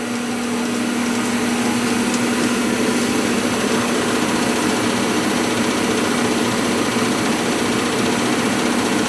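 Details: Gas furnace not heating the home; burners fire up, but the owner reported noise and the blower fan below is suspected. Steady droning hum with a fixed low tone over rushing air; the laboured blower fits a weak run capacitor.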